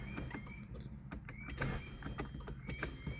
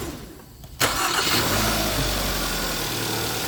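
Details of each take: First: 2011 Hyundai Sonata with a failing starter, start button pushed rapidly and repeatedly until it grabs: short bursts of high whirring spin with no cranking rhythm, the starter pinion not engaging the ring gear. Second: 2011 Hyundai Sonata after starter replacement (was no crank, no start): brief even cranking, catches within a second into smooth steady idle; normal cranking and start, starter not shorted.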